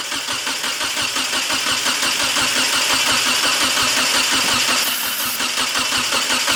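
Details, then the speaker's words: Eagle Talon TSi cranks steadily at about three turns a second with a few weak catches but never fires. Spark is confirmed and two gallons of fresh fuel were added, but there is no fuel; owner suspects injectors aren't firing. "okay so during that start you guys could hear it wanted to kick over so we definitely know we got spark but we're not getting any fuel"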